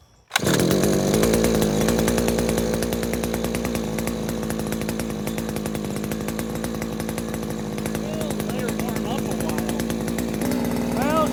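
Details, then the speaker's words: New Henghai 2.5 HP air-cooled Chinese outboard, first start out of water, now warmed up: loud, buzzy two-stroke holding steady pitch, no stumbling or misfire; normal warm idle. "Warmed up. She's loud, but I expected it would be."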